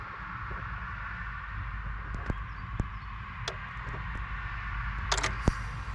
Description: Jeep grand Cherokee 2014 Eco Diesel V6 with weird sound from engine in run-mode but with engine off.